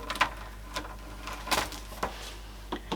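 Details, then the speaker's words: NEC N3480 CRT TV with Daewoo CP005 chassis, stored in a shed for a year or more, powering up: a few sharp irregular clicks from the relay driving the degaussing in a quiet room; normal degauss relay operation. "Yeah, you can hear that relay clicking, so that's doing the degaussing rather than just having it hardwired."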